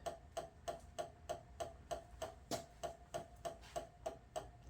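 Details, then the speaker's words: CODE 3 emergency light bar run on a battery charger, white lights on: sharp, even ticks about three per second over a faint hum; abnormal ticking, possibly something tripping like a circuit breaker or a flasher, cause unconfirmed. "But I don't know why if that's a tripping like a circuit breaker, or is that a flash or something?"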